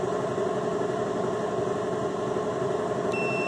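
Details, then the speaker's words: Bridgeport Model 6F power feed under repair: calibrating limit switches with handle in neutral, screw pushed in until the ohmmeter beeps continuity; shop hum then clean high continuous beep as the switch makes contact. "bottom screws here are fairly tight this one is a little bit snug so we push it in until we hear on the ohm meter that we have continuity"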